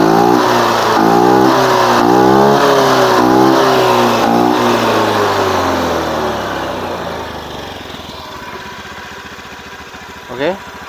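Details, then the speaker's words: Honda Beat FI eSP scooter after fixing worn roller housing and slider causing rough CVT noise: smooth even rev falling cleanly to idle, no rattle from drive side; normal CVT operation. "suaranya Udah halus jadi kerusakan terletak pada rumah roller Ya Bro"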